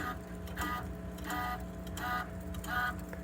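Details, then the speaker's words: 2020 Rock-Ola Vinyl Bubbler jukebox, mech removed from cabinet, stepped through a record return after mech index adjustment: motor hum with clatter bursts about every 0.7 s as the record is carried back; it seats cleanly in its slot, no grinding. "And that should, yep, it's going to go right in the, yep, went right in."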